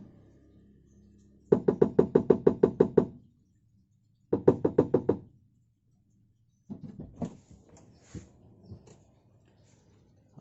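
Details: Toyota Avanza rear over uneven road: bursts of rapid hollow knocks from under the rear, a stretched, worn exhaust/muffler rubber hanger letting the exhaust bang.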